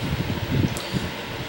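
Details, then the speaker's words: Vintage Bersted electric fan with tight bearings, running at lower rpm: low, soft whooshing hum with a gentle steady blade pulse, even and quiet; normal running. "you can see this one runs at a lower rpm moves about the same amount of air it doesn't have as quite as long as of a spin down time but also it runs at a lower rpm"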